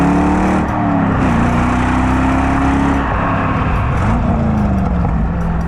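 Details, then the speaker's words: 2003 Chevrolet Corvette C5 50th Anniversary Edition, stock exhaust with side-mounted mufflers, light revs; throaty, powerful V8 rumble, smooth and even with no misses, normal V8 exhaust sound. "À mon oreille, le système d'échappement d'origine a un son bien plus puissant et agressif que les sonorités plutôt discrètes de mes C6 et C4."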